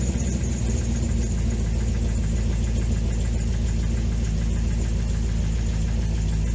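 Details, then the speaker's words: 2005 C6 Corvette LS2, 108,000 miles, knocking complaint, after tightening a loose rocker bolt: at idle an uneven tick about three per second over deep rumble; noise remains, suspected bottom end, needing engine rebuild. "But it definitely sounded like a mechanical noise. So I'm not sure what that's all about, but maybe this rocker was moving around."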